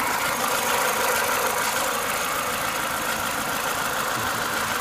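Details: Renault Clio 182 warmed up to temperature: steady idle with a rapid, fairly regular tapping on top, about three knocks a second; source of the knock undetermined.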